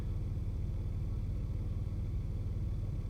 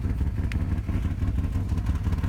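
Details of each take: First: 1995 Nissan Maxima petrol V6, heard from inside after revving to 7000 rpm: steady, even low idle rumble, RPM needle steady, no shaking. Normal smooth idle, though the intermittent rough idle could return. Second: 1995 Nissan Maxima (A32), rough uneven idle with a deep, lumpy exhaust pulse as if a cylinder drops out. The rpm needle bounces around 700, the car shakes, and it clears when revved. It won't restart without throttle. Fixed by replacing injectors, EGR system, coolant temp sensor and vacuum hoses.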